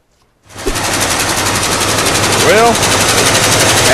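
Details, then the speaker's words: 1984 Ford F150 V8 donor truck, after oil change and heavyweight oil: rapid regular hammering knock about four a second over a loud rough idle; suspected rod knock, engine needs rebuilding, diesels after shutoff. "no it's still rod knocking the engine sounds shitty it's gonna need to be rebuilt"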